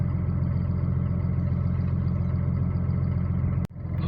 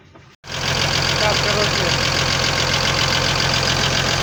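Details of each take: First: Cummins diesel at idle after rebuild with new connecting-rod small-end bushings and pins: steady even low rumble, no knocking or tapping; the earlier knock is gone, running healthy. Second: Cummins diesel at idle: light, regular knock about four times a second over steady idle, traced to worn conrod small-end bushings.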